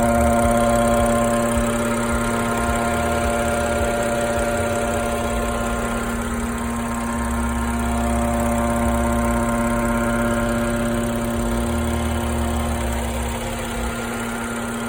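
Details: BMW F10 with N55 engine at idle; steady idle with a constant mid-pitched buzz riding over the engine, even and unchanging; source of the buzz not identified.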